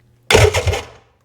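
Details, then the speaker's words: Run-down Sea-Doo personal watercraft being parted out, VTS not working: short, labored starter whir with about three slow, uneven pulses fading within a second while the button is held very hard; starter dragging and struggling to crank. "You should hear the starter. Holy cow. Like, I don't know how these machines get so run down."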